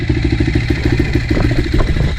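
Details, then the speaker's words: 2007 KTM 450 SX-F, cold, choke on, started on the fourth attempt: deep, fast single-cylinder thumping at a brisk idle, even beat without knocks. It died from too much throttle before warming up. Start-up problem fixed, but it still leaks a little. "So here we go, this is what she sounds like. And she just died because I gave a little bit too much gas. She hasn't warmed up."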